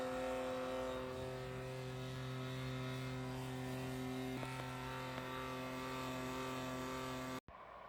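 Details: Creality K1 3D printer base: steady rough buzzy whir from a cooling fan, fading as bearings warm up; worn fan bearing suspected, replacement ordered.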